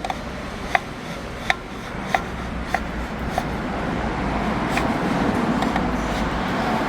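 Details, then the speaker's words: VW Saveiro 2021, 93,000 km, removed steering column turned by hand with the mic close: sharp dry clicks about every two-thirds of a second, then a gritty rub. Worn column bearings; noise is amplified when mounted in the car. Column being replaced. "esse barulho quando montado no carro ele ele ele multiplica né porque ele tá na estrutura do carro barulho fica muito mais perceptível e incomoda"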